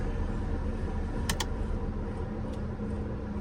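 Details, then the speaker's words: Mercedes sitting with engine off: loud steady low whooshing drone chopping like helicopter rotor blades from the blower fan, checked while testing a faulty AC. "पंखे की आवाज़ सुन रहे हो, जैसे भाई helicopter चल रहा हो वैसी आवाज़ है।"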